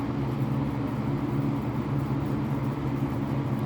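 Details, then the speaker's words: Vintage early-mid-1980s Lakewood P-223 20" three-speed box fan with McMillan motor, switched from low to medium: steady even hum and low drone, no rattle or wobble; running cleanly. "so that's low speed and low speed is pretty quiet it's moving the air turn it up to medium it's going to start to get loud"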